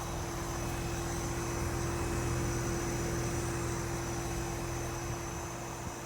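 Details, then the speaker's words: 12000 BTU inverter mini split in an enclosed racing trailer, outdoor unit heating after about five minutes, mic about a foot away. Smooth, steady fan rush and constant low compressor hum, no rattles; very quiet, normal operation. "don't think you're gonna get much quieter of a unit than that"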